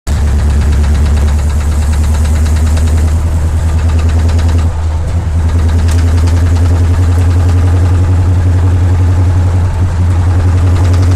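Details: Flathead engine idling with a heavy low rumble and a dull, uneven knock running through it.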